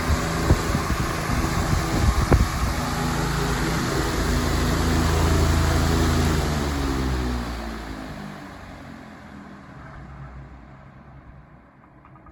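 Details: 20-inch Patton fan on medium speed: steady hum with fast shaking rattle that winds down as the fan slows; heavy vibration from blade imbalance.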